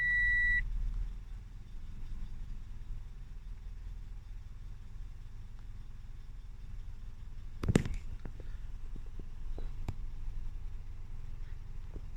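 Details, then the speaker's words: 2010 Toyota Yaris manual hatchback after a loose negative battery terminal caused stalling and rough running: short beep, then a low, steady idle that holds on its own while the ECU relearns after reset, no repairs done; normal idle. "Stable on its own. Sounds good."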